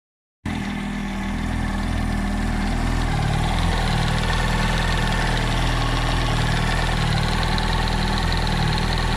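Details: 2007 Yamaha R1 idling with a deep, regular knock around four per second under the engine note; owner suspects the camshaft or the clutch springs or basket, cause unknown.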